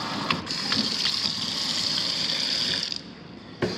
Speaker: okay our foul line looks pretty good hot's on the left holds on the right things go down